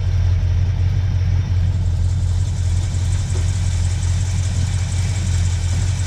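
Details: 1976 Ford F250 V8, once seized, brought back after soaking the cylinders and jump-starting: deep, uneven rumble at a low, lumpy idle; it runs and gets fuel but not yet smoothly.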